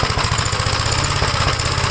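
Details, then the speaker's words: 1956 Gravely L, cold engine, choked and throttled up, with vacuum leaks already checked. It starts on the first pull but hammers along in choppy, uneven single-cylinder thumps, running rough. The owner is unsure what happened inside the carburetor. "you can uh hear that it's not running right at all but it starts on the first pole when the engine's called"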